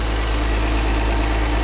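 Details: 2006 Chrysler 300 3.5, 120,000 miles, running during no-crank diagnosis (new ignition switch didn't cure it; suspected FCM module not switching): deep, steady idle with an even low rumble and no misses, knocks or squeals.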